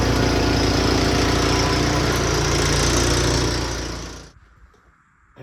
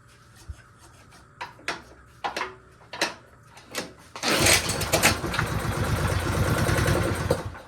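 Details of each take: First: Returned snow blower single-cylinder engine after repair, clearing driveway under load: steady even drone, no misses or knocks, winds down cleanly at shutoff; normal running. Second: A snowblower returned by a buyer, which would barely run, is restarted after its fuel was drained. It fires in ragged bursts, runs roughly for a few seconds, then dies. No difference from the fuel drain; the cause is still unclear.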